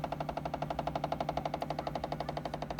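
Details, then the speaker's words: A 2018 VW Touareg with LED Matrix headlights: fast, even tinny clicking from behind the right headlight when the ignition is on and the car is warm from driving. A VCDS scan showed LED light faults; the dealer found nothing. "The noise is coming from here. This is the main light, right side, and I feel the noise. It's coming somewhere from here, from the back of the light."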